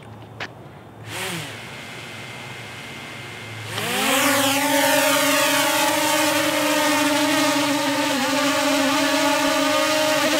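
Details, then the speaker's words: DJI Mavic Air drone hovering with Master Airscrew stealth propellers replacing stock props: steady, quieter, lower-pitch hum with slight waver; normal hover, though slight shaking noticed. "Impressive. All right, so definitely much quieter and also much lower pitch. So, not quite as annoying as it normally is with the stock propellers."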